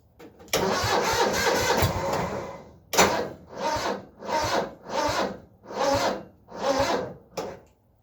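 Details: Cub Cadet 782 tractor in cold weather with a one-year-old 320 CCA battery: starter turns over in slow, laboured surges about every three-quarters of a second and never catches; weak battery, before Noco GB40 jump starter is connected.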